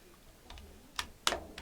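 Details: AR-15 buttstock fully extended and wobbled: four sharp plastic clacks from play between stock and buffer tube; snugging added screws eliminated the rattle.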